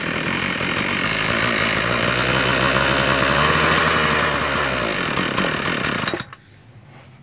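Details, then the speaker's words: Toro 51976 25cc gas straight-shaft trimmer on its first pull start after repair (reattached fuel filter, new fuel line, fixed recoil starter, fuel now filling primer bulb): high, steady, clean buzzing rev for six seconds, then cut off. Normal running. "So I'm gonna put those two bolts back, air cleaner, and try to start it up. First pull. That's all it was, man."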